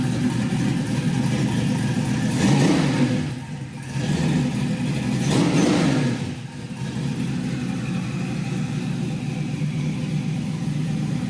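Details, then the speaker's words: 5.3L LS V8 fitted with an NSRx Stage 3 cam and 600-lift valve springs, on first start. Choppy, loping idle with two clean throttle blips, no knock or tick; great oil pressure, healthy. "Thing has great oil pressure, motor sounds good. So I think this one's ready to go."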